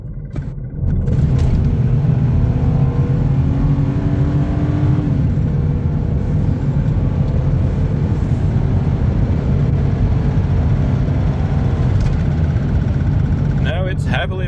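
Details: 2010 Ford Territory Barra petrol, highway pull after cleaning water and corrosion from rear two coils that caused misfire above first gear: deep, steady, even drone, no stumbles; misfire fixed.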